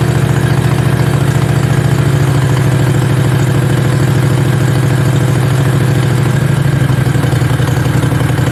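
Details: Mini bike V-twin; loping even idle at a settled low speed, steady beats, no misses or knocks; normal healthy idle before first ride.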